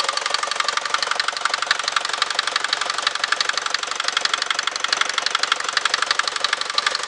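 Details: Mercedes Vito 110D with 2.3 TD OM601 diesel at idle: sharp, regular metallic knocking about three per second, louder than normal injector clatter; internal engine knock, cause unknown.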